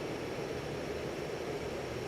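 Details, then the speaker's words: 52-inch Hunter 1886 limited edition ceiling fan, burnished brass, running on high in reverse at about forward speed: smooth even rush of air being whipped around, no ticking, wobble or rubbing; normal balanced, quiet operation. "See, high moves about as fast on reverse as it does on forward. Hear the air being whipped around."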